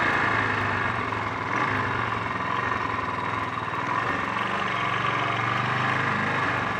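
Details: Honda XL 350 single-cylinder motorcycle on a test ride after a blown head gasket repair, still bogging down under acceleration; uneven, stumbling, spluttering beats and ragged note, misfire of unknown cause, points and carburettor float bowl to be checked; handling also poor.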